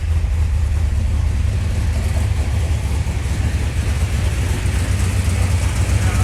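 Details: 1981 Chevrolet Camaro Z28 V8 after 15 years dormant, restored with new pushrods and fresh oil, throttle pedal hooked up: deep, steady rumble with an even beat, no ticks or knocks; running smoothly.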